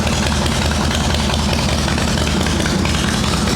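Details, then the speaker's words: Shovelhead V-twin chopper, cold on choke after rain soaked the ignition; worn plug wire end caps suspected, points and condenser not needed. Even, loping low idle with no misses or stumbles; healthy. "That's definitely not needed. That is definitely not needed. She's still healthy."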